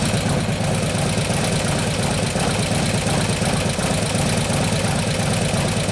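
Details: 2015 Harley-Davidson Road Glide 103ci Twin Cam after camshaft install, at idle: light rapid ticking about three taps a second over a loping V-twin idle; lifter tick, most of the noise seeming to come from the front intake lifter.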